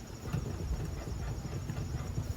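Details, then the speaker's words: Mercedes-Benz, front wheel jacked up, lug nuts tight, rocked side to side. Uneven dull tick-tick knocks, about a quarter inch of play, suggesting a bad inner or outer tie rod; unconfirmed. "so it's going tick tick tick tick tick it's barely moving but it's moving about a quart of an inch this way now normally that means that the tie rod is bad"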